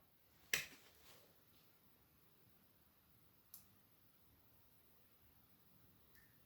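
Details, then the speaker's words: Salvaged ZENITH waterproof 1x36W T8 fluorescent fitting with ferromagnetic ballast: switch click, about three seconds of near silence, then one faint starter click as the marked tube strikes; starter slightly slow, tube otherwise works fine. "Bon, ça a l'air de fonctionner. Bon, le starter est un petit peu lent par contre."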